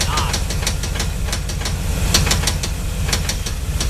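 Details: 350 small-block Chevy: a rapid, steady bottom-end knock keeping time with the crank. It started as a ticking when warm; a spun connecting rod bearing is suspected, to be confirmed on engine teardown.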